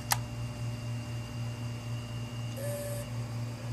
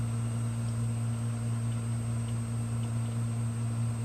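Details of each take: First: 500GB hard drive that worked before being frozen about 18 hours and powered up straight from the freezer: click at power-on, steady hum and rising whine as platters spin up, heads clicking; spin-up with failed heads. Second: 500GB hard drive with replacement heads installed, powered up on an imager: a steady low spindle hum, a faint high whine and one brief chatter of head movement. It spins up normally and starts imaging.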